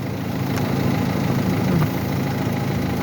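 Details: Mercedes that would not crank even with a new battery, running after the starter motor's brush contact was fixed. A steady, even idle with a smooth low hum and no knocks or misses. Running cleanly.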